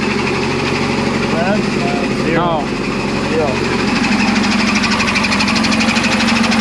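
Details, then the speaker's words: 1975 Chevy Vega Cosworth twin cam, first running after sitting 20 years, old oil still in; fast, even knocking about four per second over the idle after start-up; engine knock, cause unknown, owner plans fresh oil and an oil pressure check. "i think the uh the next thing to do is to try to figure out what that horrible noise is i think i need to put some fresh oil fresh oil and try the try bath"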